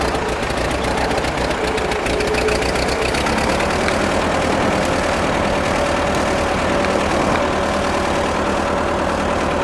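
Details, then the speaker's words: Ford tractor being rebuilt as an amphibious machine, newly wired with Pertronix ignition, choke held out with a clothespin, governor working. In second gear, high range, light throttle, it runs uneven and lumpy with irregular knocks. Carburetor issues are suspected. "Yeah, we've got some carburetor issues."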